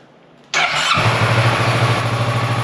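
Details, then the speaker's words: 2015 Kawasaki Versys 650 ABS after stator, regulator/rectifier and battery replacement: brief starter whir, starts first try, steady even idle, revs fine; charging 14.3–14.4 V at idle. "all right so the bike started on the first try it's putting out the correct voltage at idle it's revving fine it sounds good"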